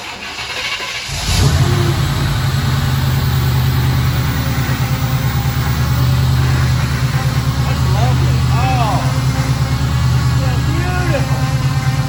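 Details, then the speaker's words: 1953 Ford truck with a type 2 power steering pump starts and settles into a loud rough groan at idle from the noisy pump: power steering pump noise. "just fire this jewel up and we'll show you the power steering noise"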